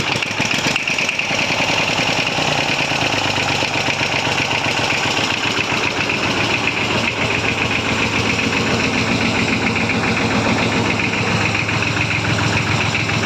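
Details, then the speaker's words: Massey Ferguson 35 diesel tractor after overhaul, cold start without the heater and with a little throttle, fuel system bled and new filters fitted: brief crank, then it catches into an even, clattery idle with no misses. A healthy cold start. "right I'll do a cold start with no here uh so I give her a little bit of throttle I've already bled up the system"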